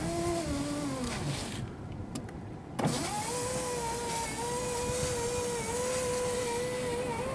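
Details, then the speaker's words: 2005 Jeep Liberty, rear driver-side window with a newly installed regulator: the motor whirs and labours as the glass creeps up slowly, going a bit faster down, while the other side is quick. The new part is weak going up; the owner may adjust it. "Well, it goes a little bit faster down than up. Might have to adjust a little bit."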